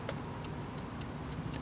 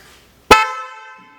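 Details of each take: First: Porsche Boxster 986/996 horn circuit: pressing the horn button gives sharp single relay clicks about every third of a second but no horn tone; switch and relay work, both high and low horns have failed. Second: Porsche Boxster (986/996) horn that had stopped working, relay clicking, replaced with a new universal-fit horn, rewired and tested before reassembly: one clean, loud blast with a steady bright tone that rings and fades; strong, healthy horn.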